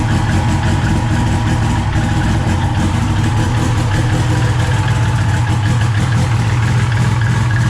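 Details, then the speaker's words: SRT-4 turbo four after a 420A head conversion, first start (hard to start without throttle) and running good: deep, even, steady running with no knocks, misses or rattles. "so there it is running good to go so hopefully we'll be at the tracker pretty soon"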